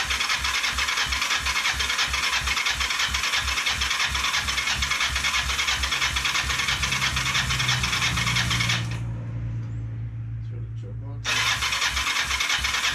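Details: Kawasaki Ninja 500: starter grinds steadily at about three beats a second with no firing, then pauses. Crank, no start; owner suspects too little fuel.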